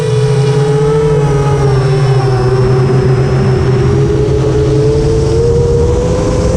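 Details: FR7 quad after tuning, with DMIN removed because it caused raspy motor noise, I-term relax cutoff 10 and RPM filter on: smooth, steady motor hum with a clean even tone and no rasp; motors sound healthy.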